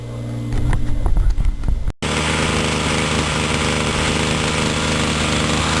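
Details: Homelite C26 trimmer after carburetor cleaning and adjustment, fuel lines, and freeing stuck piston rings: after handling noise the two-stroke settles into a steady even buzz with no misses or surging; runs properly.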